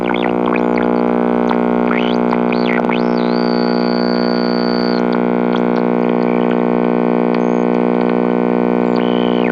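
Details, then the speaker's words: GE H 500 AM tube radio first powered on: loud steady buzzing hum under tuning whistles, not wavering; loud mains hum, suspected bad filter capacitors. "So wow, holy crap, have I actually run into one of these radios that had bad filter capacitors? I think so. This is probably almost the first time."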